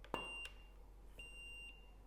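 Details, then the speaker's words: Neewer Q4 flash: single high steady beep after power-up, then another clean beep after firing; flash recycled and ready. "um I'm leaving the beeps on so you can hear it I hope you can hear it that's pretty fast recycle go down one quarter recycles almost instant at one quarter power"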